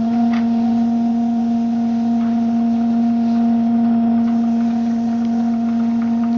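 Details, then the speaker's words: Maxitrak Graupner 5000 gas-fired steam engine on its first run, driving a pond water pump: a steady mid-pitched hum with faint, quick, even ticks. The little engine runs smoothly without stumbling or knocking. "there's this little grer engine going beautifully"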